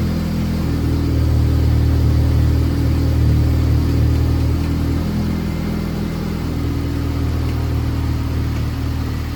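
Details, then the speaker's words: Honda 9th-gen Civic Si after swapping blown K24Z7 for junkyard K24Z3 engine, first startup: steady, even low rumble with smooth idle, no knocks or misses; started right up, hesitated slightly at first, some smoke from oily downpipe. "So, started right up. Hesitated a little bit in the beginning, but other than that, everything sounds good."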